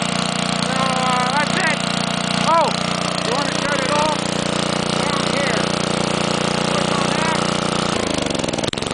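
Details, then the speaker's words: Homelite generator (powerplant built in 1950s or 60s), restarted after sitting unused far too long: loud but steady, even drone with no misses, running normally while left to clean itself out. "it's loud as hell but it'll keep your lights on and it'll keep your bridge cold"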